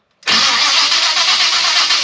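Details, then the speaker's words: Chevrolet Biscayne, Powermaster starter after refit: second test, even steady whir for about two seconds, no grinding or clashing; healthy engagement. "Okay. Yeah. Not hating that."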